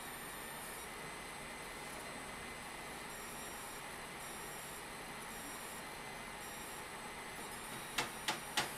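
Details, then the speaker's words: Mining rig running two RX Vega 64 cards: thin high steady whine pulsing with load over soft fan hiss; power supply coil whine. "we're getting coil wine on the power supply that is funny"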